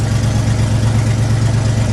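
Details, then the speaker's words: 1975 IH 3/4-ton 4x4 pickup, 4-speed with granny low, 142,000 miles, cold start: loud deep idle with steady rapid puffing beat from an exhaust leak. "When I start this up, you're not going to be able to hear me talk because of the exhaust leak."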